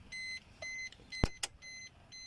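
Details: Maruti Swift Dzire, key-on after cleaning rust and carbon corrosion off the battery terminals that had stopped it starting: a clean repeating high chime, about two beeps a second, with a couple of clicks; dash warnings working normally.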